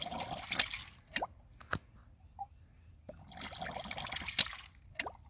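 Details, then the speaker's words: Newly installed ram pump clicking slowly and unevenly, about 4 seconds per click, over trickling, gurgling water; air bubbles sucked back up the drive pipe with each click, air in system, low output pressure. "So that brings it down to 4 seconds per click. But something's still not right. I can hear air bubbles going back up through here. Every time it clicks, I hear it suck air bubbles back up through the drive pipe."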